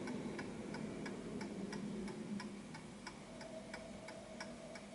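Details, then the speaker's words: Antique Westminster chime clock after positioning it at its center of gravity: even, evenly spaced tick-tock, about three beats a second, with no limp; in beat and running healthy. "that's a perfect ticking clock."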